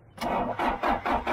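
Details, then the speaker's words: John Deere 310 backhoe, long abandoned, sprayed with Liquid Wrench: starter churns in steady pulses about 2.5 per second, engine never catches or fires; cranks but no start, cause unconfirmed. "though. That ain't doing nothing. That didn't work too good."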